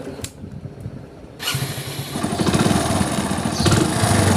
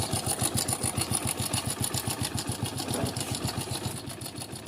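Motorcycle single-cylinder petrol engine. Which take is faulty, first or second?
second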